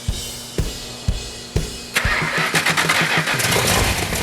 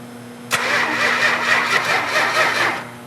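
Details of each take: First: Freshly built 400 Magnum V8 for a 1972 Dodge Charger: slow cranking then fast even firing into steady strong run after timing, initially 180 out and retarded, was corrected; oil pressure and water temperature perfect, running great. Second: 440 V8 in a 1972 Dodge Charger, fuel pump on and fuel primed: the starter spins it evenly for about two seconds, but it never fires or catches; no spark.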